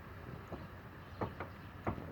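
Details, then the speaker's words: Kia Rio driving: a few dull isolated knocks from the right side of the steering rack, persisting after replacing the rack bushing with a repair kit; cause not yet found. "kia rio стук в реки с правой стороны заменил втулку в общем такой же штуку остался"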